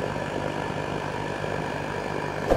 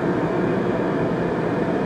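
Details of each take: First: Riello RDB kerosene oil burner on temporary supply, before repair: after reset and purge, pressure comes up but flame detaches and won't catch; fan roar then four sharp pops before dying and locking out; contaminated nozzle, fixed by replacement. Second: Riello RDB kerosene oil burner after new Danfoss 0.6 USG/h 60° EH nozzle at 8 bar, air screw being adjusted (less air lengthens flame): continuous even roar, no pulsing, rumble or sputter; firing steadily.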